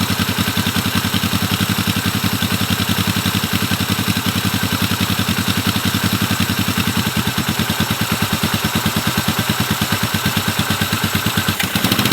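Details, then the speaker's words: 1970 Honda CB450 twin, barn find parked 20 years, first run off its own tank; idle pulses irregularly and wavers, though both cylinders fire and run fine under throttle. Owner suspects fuel lines or petcock, not the carbs. "Seems like to me a minor adjustment needs to be made in the fuel lines and the petcock. It looks like there's not full fuel coming. Both cylinders are running, and under throttle they're running fine."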